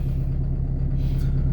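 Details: Peugeot 205 TD with a new AMC XUD9TE cylinder head, after reassembly: deep, steady diesel rumble at idle with an even low beat and no tapping or knocking; runs clean, normal idle.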